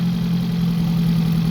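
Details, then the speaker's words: 1987 Integra, fired with some cranking but not running right; cylinder 2 suspected, owner doubts spark, borescope showed nothing: low steady idle with faint stumble; misfire, rough idle. "all right the demonstration cylinder one is fine you can hear it stumble cylinder 2 is the one that has the"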